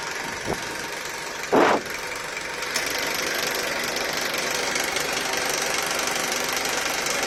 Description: Video that shows a rattling noise on Honda Accord K24 engine